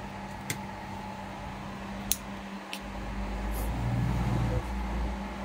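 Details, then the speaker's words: Two 1000W grid-tie inverters reported as error/not running; the stiff cooling fans, oiled and now running: steady low fan hum with a couple of sharp handling knocks; both fans and inverters working normally, producing power. "โอเคนะครับพัดลมทำงานปกติทั้ง2ตัวแล้วตัวเครื่องทำงานได้ปกตินะครับรันได้ปกติผลิตไฟปกติ"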